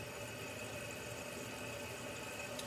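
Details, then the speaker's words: American Standard toilet after replacing the flush seal: quiet, even hiss of the tank refilling with a faint steady tone, no dripping or water getting past the new seal; fill level correct, fill valve working normally. "As the water is filling, you want to check to see your fill level. Make sure it's not filling too low or too high. It's perfect."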